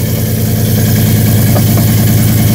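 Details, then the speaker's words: 2017 Chevy Silverado 5.3 V8 right after installing cheap long-tube headers, two clamps not fully tightened: very loud, raw idle with a fast chuffing pulse under the rumble from the back, an exhaust leak heard down low at the header and pipe joints. "I mean it sounds good up front though I can hear down low I can hear the the leak that say it didn't sound very loud right"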